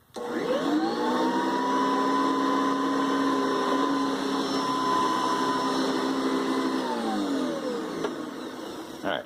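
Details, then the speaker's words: Hoover Decade 800 upright vacuum after work including a new base plate gasket, new regular switch: motor spins up to a clean, steady high whine, holds evenly, winds down smoothly with no rubbing or rattle; healthy. "I'm glad it sounds as good as it does hopefully warming it up more we'll get it going further"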